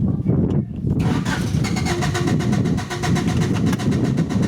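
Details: 1993 Honda Accord that shuts off when hot and won't restart: starter cranks steadily at an even rhythmic chug but never catches; about 10 volts on pump circuit while cranking, weak pump.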